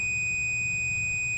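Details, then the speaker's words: Original Xbox motherboard, removed, multimeter continuity check on a bulging capacitor: steady high continuous beep, indicating that capacitor is shorted in circuit. "that one showing it that short so that's a good thing I mean for troubleshooting purposes of course"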